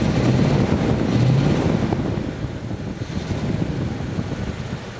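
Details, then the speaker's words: 1951 Ford F3 with flathead V8, restored, started instantly, choke possibly still on: deep steady burble of about four pulses a second at idle, very regular, no vibration; one or two cylinders may miss on acceleration. "Il tourne bien, il se lance bien, peut-être il vibre pas, il est très régulier."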